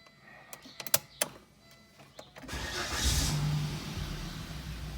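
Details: 2000 Volvo S70 five-cylinder with aftermarket exhaust and a fuel relay problem: the fuel pump primes, then a few clicks and quiet cranking before it catches at about 2.5 s and flares up unevenly, a hard start; resetting the relay helps.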